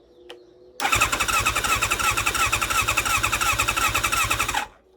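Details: 1987 Kawasaki GPX 750 barn find, sat unused for years, cranked on the starter after spark plugs fitted, coils reconnected and the starter motor refitted: an even, quick chug-chug for about four seconds without firing. Cranking is strong and healthy.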